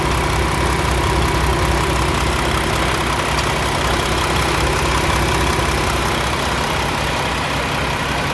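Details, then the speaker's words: Peterbilt 579 diesel truck back from dealership repair, fresh oil: steady even idle with smooth low rumble, no knock or miss, running healthy. "just sounds so much smoother put a brand new oil for overnight"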